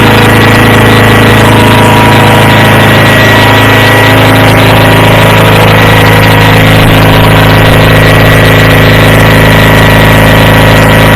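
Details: Approx. 1976 Sears GT18 tractor (a commenter says 1978–79), Onan 18 HP twin, at 54°F with choke off, after carburetor cleaning and fuel pump rebuild. It previously ran rough; now a steady, even drone with no stumbling or hunting, normal running.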